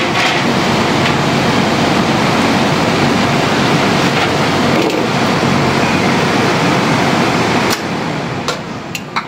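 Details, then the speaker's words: Gree aircon outdoor unit with E1 error, compressor disconnected after magnetic contactor switches: steady even whooshing of outdoor fan for about eight seconds, then drops away; fan runs continuously, normal. "Yan. So, umandar siya. Tinanggal ko si compressor. Umandar siya ng tuloy-tuloy ang fan."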